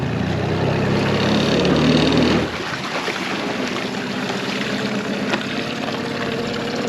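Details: 2001 Yamaha 15hp four-stroke short-shaft outboard, sat in a barn 5 years, after full service, running in a test tank: settles from a fuller note into a smooth, even idle with a steady low beat, no misses or knocks.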